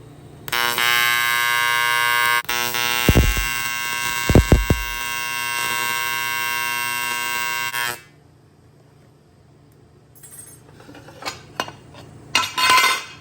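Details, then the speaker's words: AC TIG welder at 200 amps welding aluminum, filling the middle hole of a derby cover adapter plate: loud steady electric buzz with a dense high rasp for about seven seconds, then stops; normal AC TIG arc. "It's going to get loud. I love welding aluminum because the AC current sounds like a loud tattoo"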